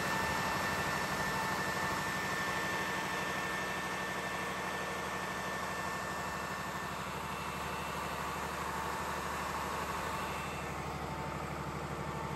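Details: Old air-cooled 109.5HP Lister diesel backup generator (about 100KVA) on monthly check run: very loud, steady, even chug with heavy fan roar, no knocks or misses; running healthy.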